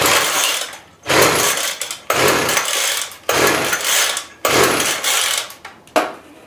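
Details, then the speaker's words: Weedeater Featherlite Plus two-stroke string trimmer after a new carburetor diaphragm replaced an aged, stiffened one that had stopped it starting. Primed, choke off, it starts and buzzes up cleanly in repeated throttle blips, dropping back between them: running normally. "I put the new diaphragm in there or it had a new diaphragm in it and why it runs beautifully now"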